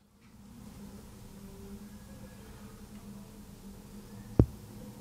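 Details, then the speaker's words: IKEA Sjöss 45W dual-port USB-C charger, plugged in: near silence with faint room hum and one brief click, no buzz or whine; normal quiet operation unlike the buzzing 30W model. "Yeah, the big one seems okay. No no no noises."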